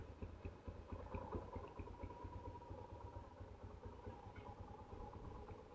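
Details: 2008 Yamaha Scorpio 225, harsh-sounding after five months unused, right engine side rebuilt and oil changed: quiet, soft steady putter at idle with clutch pulled in, no knocks or rattles; now fairly smooth, normal idle.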